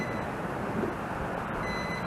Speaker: and you hear that beeping. That's an indicator that you still have your battery hooked up even though the bird's not on.